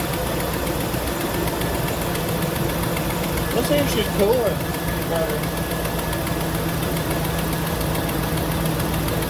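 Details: 1999-2006 GM 5.3 V8 idling after replacing the fan clutch, fan and AC belt, checking for interference: steady, even low rumble with no knocks, rubbing or belt chirp; nothing hitting.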